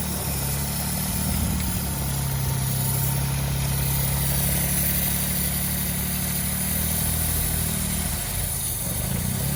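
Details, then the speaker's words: Citroen C1 petrol engine idling with a deliberately created intake air leak: its low hum wavers and hunts instead of holding steady, an erratic idle. "yes and this is what we're saying about an ertic idle you see now I had this stuck on here to minimize the leak to make it more realistic"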